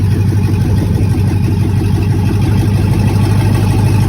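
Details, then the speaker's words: 2009 Chevrolet Express van, 96,002 miles, started right up: low, rough idle with uneven puffing about three per second, exhaust or catalytic converter issue, cause unconfirmed. Exhaust noise. "Once again, she started right up. You can hear the exhaust issue."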